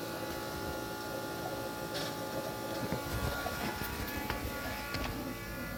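A steady, even whine with a buzzy edge holds over a rushing background, pointing to a worn electric fuel pump.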